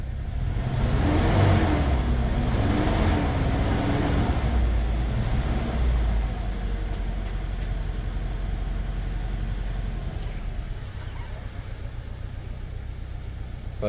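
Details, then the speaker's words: Toyota Fortuner petrol (possibly 2TR) with LPG, on petrol, revved: climbs then sags and stumbles, popping from the exhaust; misfire on both fuels, later traced to rat-chewed injector wiring killing cylinder 2. "จัดเลยอันนี้น้ำมันนะฟังเสียงท่อกันป๊อกๆๆเลยอ่ะ"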